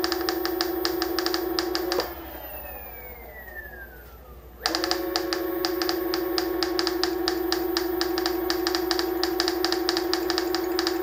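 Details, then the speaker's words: Onewheel Plus hub motor: steady motor whine with a fast, regular ticking rattle about twice a second, dropping out when the motor pauses; it had alternated between rattle and squeak before the fix. "the rattle will develop into a squeak. Then it might switch back, at least that's what it did last time."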